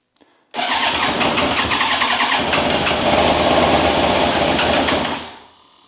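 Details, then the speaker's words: Yamaha YZF1000R Thunderace rebuild, abandoned 20+ years, fuel pump priming: starter spins engine steadily about five seconds, never catches; fuel starvation, fuel tap found blocked (no air passing) with compressed air. "Mom something's not right I'm thinking that fuel tap or something is occurring that is preventing the bike from getting the fuel no fuel"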